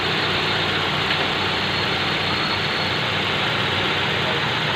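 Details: Nissan GX, QG16 engine, after repairing low fuel pressure and hard starting caused by a crushed fuel pump O-ring, improvised with fuel hose. Steady, even idle with a smooth hiss and no misses, knocks or hunting: normal idle.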